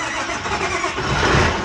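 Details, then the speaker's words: Oliver 1755 diesel tractor, cold start after winter sitting with recharged battery: cranks briefly, catches quickly and settles into a steady, even idle with no knocks; oil pressure and charging fine, healthy cold start. "Cold start, I guess, because it is kind of cold again."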